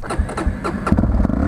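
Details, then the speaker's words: 1999 Yamaha TTR 250 single-cylinder: it starts, then runs with uneven, lumpy thumps and keeps nearly dying at a rough idle. Owner suspects the carburetor tuning or a throttle return not holding it open enough. "you can hear it wants to die I don't know what is wrong with the maybe my tunings off maybe my auto returns off"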